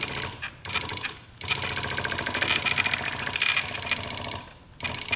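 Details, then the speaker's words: Honda Ruckus scooter (2015 or 2018 stated), non-running, possibly crashed: short bursts of thin labored starter whirring with pauses and no catch; weak cranking, battery suspected (12.49 V) and a jumper didn't help; cause unconfirmed. "Why is that so weak? You know, maybe the battery is dead."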